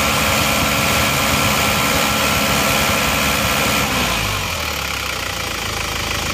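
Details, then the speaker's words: Isuzu Panther LS automatic diesel, warm with thermostat fitted, after blow-by repair with new liners: even clatter held at higher revs then settling smoothly, no knocks or misfires. "bagus jadi sudah bagus yang asap ini mesin sudah panas karena mesin juga sudah kita lengkapi dengan thermostat jadi temperatur sudah standar lagi"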